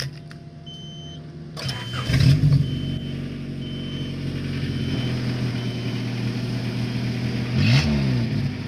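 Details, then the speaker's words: Honda CRX, before exhaust repair with resonator being deleted: starts and revs with a deep, loud, boomy drone swelling with throttle from a muffler broken for months. "Alright, so let's start up the CRX so we could see what it's been sounding like for the past few months with the broken muffler, and then we can see after we put the pipe on it if it makes a difference."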